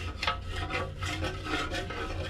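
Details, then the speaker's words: 2008 Yamaha Zuma 50 two-stroke scooter, removed fuel tank being shaken: rhythmic rasping swish about twice a second as chunks slide inside; debris in the tank before soaking in carb cleaner. "I removed the gas tank because uh it had some chunkiness inside you can hear it"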